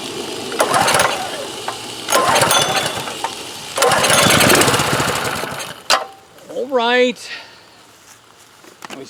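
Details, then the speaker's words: Curbside DeWalt DP3100 pressure washer with a Honda engine, rusted fuel tank, contaminated fuel and a dirty carburetor, started on ether: it catches with loud ragged bursts, runs a second or two, then dies; it has compression and spark but apparently no fuel flow through the carburetor. "pump fired up in our stream of water's coming out like a rocket just on the uh pressure we built in the pump on that brief run"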